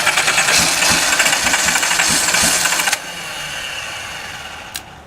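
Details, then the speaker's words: Donor 1977/78 Datsun 280Z engine (non-emissions, square ports) test-run after an ether shot, then drawing old two-stroke fuel. It fires unevenly with ragged pulses, fades and stumbles: rough running, cause not confirmed. "here it don't sound great run off the tank but it does"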